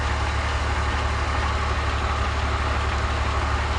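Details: BMW E46 (330i/325i) after ZF 5HP19 automatic transmission rebuild and reconditioned torque converter, wheels in air, fluid just set to level: steady, even low idle, no knocks, whines or clunks. Normal idle.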